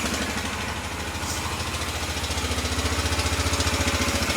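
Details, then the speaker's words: 2003 Honda Rincon 650 ATV jump-started with no airbox connected; rapid even tapping over the idle, near four per second and growing louder, suspected to be the timing chain or possibly a valve, unconfirmed. "To me, when I first heard it, it sounded like a timing chain. So, it could be the timing chain. You can hear it kind of tap tap tap."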